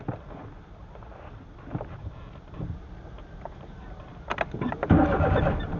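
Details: Carbureted 2003 Suzuki Alto/Mehran: repeated cranking with uneven bursts before the engine catches, running roughly and stalling several times despite hard revving; hard starting, cause not clear.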